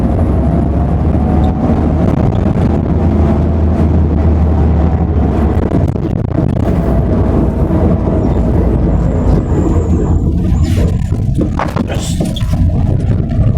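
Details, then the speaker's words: Work van, driven with a listener in the rear; a faint steady whine over heavy road rumble from the centre rear, louder at higher speed. The owner suspected axle or gearbox. "Macam bunyi axle pun ada bang. Besar kat belakang ni."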